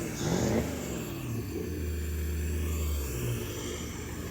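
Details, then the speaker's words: MerCruiser with a new Jasper longblock, run on the hard after setting the distributor and fitting the exhaust to check sealing, climbs smoothly in pitch and settles without popping or stumbling; normal revving. "now we are running it on the hard to make sure everything is properly sealed and operating as it should be, and we can hear it rev up nicely."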